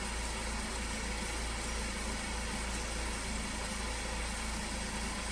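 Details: 2015 Ford Focus after alternator replacement for battery warning light and code P0A3B, codes cleared: steady even idle, smooth firing rhythm, no knocks, ticks or belt squeal; no warning lights, normal idle.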